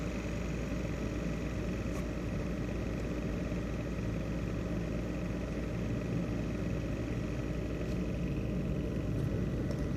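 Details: ASUS X543UA laptop CPU fan: steady low whirring rumble with faint thin tones above it, rattling worn fan bearing noise.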